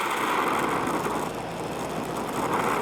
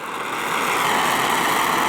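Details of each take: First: Oxy-acetylene torch adjusted for brazing sheet metal: steady, even hiss with a soft roar and no popping or sputter; a clean neutral flame. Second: Oxy-acetylene torch being adjusted for brazing sheet metal, oxygen opened too far: harsh, loud roaring hiss, steady and sharp-edged with no low rumble; an oxidizing flame with too much oxygen.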